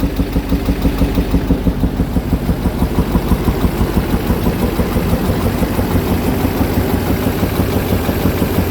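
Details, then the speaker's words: '05 Duramax diesel not running right after new head gaskets: sharp regular popping about three per second at idle, back through the intake, louder on passenger side, heard in air box and wheel well; slight miss, valve adjustment suspected, not confirmed. "It's popping back through the intake, making some noises in the top end."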